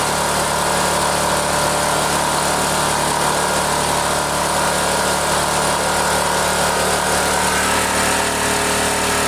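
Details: Neglected generator, runs only with the choke on, carburetor due for cleaning, being run out of fuel; steady, even mid-pitched drone with no surging, misses or knocks; running, generator making power.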